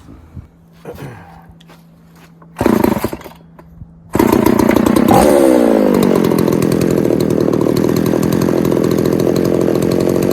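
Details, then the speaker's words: Poulan 3800 chainsaw with a loose carburetor and air leak being fixed, some spit back through the carb on acceleration: after a few blips it settles into a rough, blubbery rich idle, loading up and wanting to die; possible remaining air leak. "I don't I know if you can hear that but it sounds like she's just loading up just sitting there idling"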